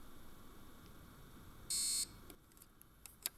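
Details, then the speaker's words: Analog model locomotive without decoder placed on Z21 digital track: sharp high buzz as the motor rapidly reverses left and right; left there about 30 seconds the motor can burn out, so remove it immediately. "Das bedeutet, es ist eine analoge Lok, es ist kein Decoder verbaut. Das Geräusch, der Motor dreht ganz schnell nach links und rechts und so kann es passieren, dass nach ca. 30 Sekunden der Motor durchbrennt."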